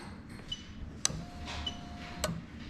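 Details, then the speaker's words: Lexus SC430 3UZ-FE VVT-i engine swapped into IS200 (LHD, J160 manual), harness test: fuel pump relay activated, sharp clicks over quiet room as relay switches and pump starts; normal fuel pump relay click. "what i'm going to do is obviously i'm going to try and let you hear but as soon as i press this arrow you're going to hear the relay click and the pump start running"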